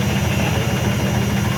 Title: IFB WASHING MACHINE MAKING VERY LOUD NOISE WHILE SPIN CYCLE